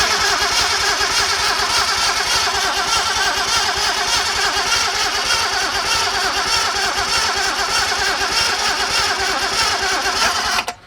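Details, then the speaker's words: Datsun 240Z with a junkyard engine swap on carburetors: steady fast cranking for about ten seconds that never fires. Spark confirmed, owner suspects wrong ignition timing, fuel supply to be checked next. Cranks but no start. "we definitely have spark. So we got to make sure we got fuel. So let's check the carburetors,"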